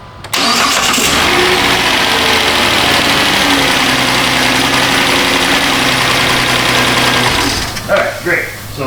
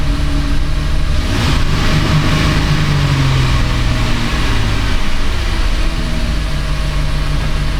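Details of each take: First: 2010 Chrysler Town & Country 4.0, restarted after key cycling, possibly still slightly flooded: brief crank, catches quickly, settles to an even steady idle; starting problem seems fixed, coolant sensor still to be replaced, EVAP issue remains. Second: 2010 Chrysler Town & Country 4.0, just started cold with a little throttle: uneven, lumpy idle with a brief throttle blip, stumbling; running rich, likely because the coolant temperature sensor reads 17.6°F, with a strong fuel smell.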